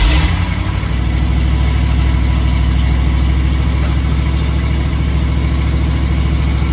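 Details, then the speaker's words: 1979 Ford Bronco idling after a new custom side-dump exhaust (clamps tight, no hanger yet), heard from inside the cabin: deep, steady, even rumble with no knocks, misses or leaks; much quieter inside, normal idle. "so I'm sitting inside the Bronco it's so much quieter when when the exhaust isn't exiting right below you it's pretty nice cuz it was so loud in here"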